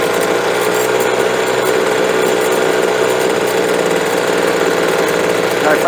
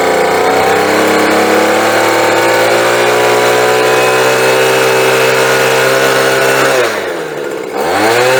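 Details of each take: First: Two-stroke leaf blower at full throttle after new fuel and a carburetor adjustment: a loud, steady howl with slight unevenness, a stutter wide open; it may need a little more fuel (lean high-speed mixture suspected, not confirmed). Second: Bolens leaf blower after new fuel and carburetor adjustment, high-side screw richened to cure a wide-open stutter: long, steady high-pitched wail at full throttle with no stutter, then two clean drops and rises before shutoff; smooth full-throttle running.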